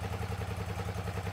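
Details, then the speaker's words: 2006 Hyosung GT650S V-twin after two years stored: lumpy uneven idle with a missing beat, running on only one cylinder; won't exceed 5,000 rpm, rear header gets hot while front stays cold; carburetors need cleaning. "यह एक we-twin motorcycle है, लेकिन अभी यह केवल 1 cylinder पर चल रहा है"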